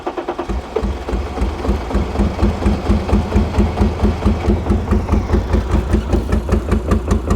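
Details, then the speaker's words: 1989 BMW 535i E34, M30B35 six, revived after sitting since about 2012: slow lumpy idle of about two heavy uneven pulses a second, struggling at low rpm; old fuel suspected. "I mean it's running but it's just low RPM like it's just struggling how bizarre but we did get it running"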